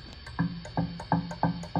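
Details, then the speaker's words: National HRO-500 receiver, HF oscillator set to 9 MHz, unlocked, heard on RTL-SDR in narrow-band FM: each light straw tap on the tuning capacitor brings a sharp ringing burst about three per second; extremely microphonic, owner thinks it may need tightening. "I tap it what's worse is I just take a straw and just tap this capacitor here and you can hear how bad that is so this capacitor is extremely microphonic"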